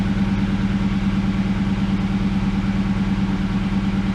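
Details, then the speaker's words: Ford Mustang Bullitt V8 at idle with stock H-pipe and stock mufflers before JBA off-road H-pipe install: quiet, deep idle lope with occasional stumble; slight erratic idle miss, owner suspects O2 sensors. "So that's the exhaust sample in the stock form. You can hear it's pretty quiet. I definitely want it to be louder. And I do have a little slight miss at idle, erratic miss."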